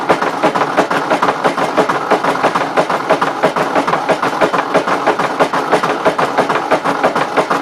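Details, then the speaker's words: 1953 Ford Jubilee tractor engine, ATF in cylinders, turned over after freeing a stuck engine: slow, regular heavy knocks around ninety a minute through the idle; owner suspects a bad connecting rod, unconfirmed. "I don't know about you guys but it kind of sounds like a motor with a bad connecting rod"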